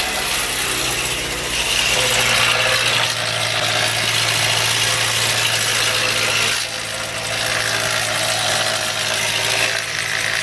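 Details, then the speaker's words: 2007 Nissan Frontier 2.5 L bought as a bad-engine truck, starting after long sitting with pitch-black oil and a check engine light: a rough, hissy idle with uneven clatter on top. Owner expects the noise to clear with an oil change; unconfirmed. "so that noise is gonna clear when the oils off okay so the truck started"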